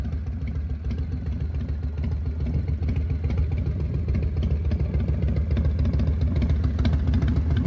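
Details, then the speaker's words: 1999 Harley-Davidson Fat Boy V-twin after new Wood Performance cam, lifters, cam bearing and adjustable pushrods, in neutral: deep even loping idle, steady thump, no top-end tapping; normal idle, timing may need slight tweak. "Let's see what she sounds like. You think I put it neutral? >> Yeah, >> it's not my favorite pipes. I will say that"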